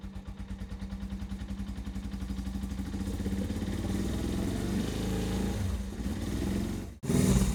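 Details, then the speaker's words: Suzuki GS500 twin, unridden for years, during full service: lumpy uneven idle, about four pulses a second; right cylinder dead, reading only 56° versus 150° on the left, then slowly warming. "sounds like it's running on one cylinder so we get our little heat gun to the temperature of that left cylinder"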